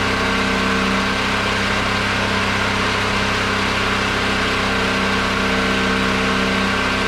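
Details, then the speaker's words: Generator weaned off propane onto old gasoline after a hand-crank start, charging its battery from 10.9 V to about 12.5 V; steady, even engine drone at constant speed with no knocks, surging or misses: normal running. "we're running on gasoline now I'm going to let it run on that old gas and charge up that uh battery"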